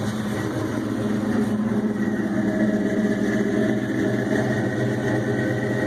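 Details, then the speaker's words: Ford Mustang GT 4.6 with Trick Flow stage 2 cams, BBK long-tube headers and X-pipe, supercharger not yet hooked up, untuned, heard from the rear on a cold start: choppy loping idle over a deep rumble, with some surging. "You can definitely hear it has a little bit of lope to it, and that's a cold start. Once it idles down, it will probably calm down into a little bit more of a lope, but those trick flow stage 2 cams are fairly aggressive."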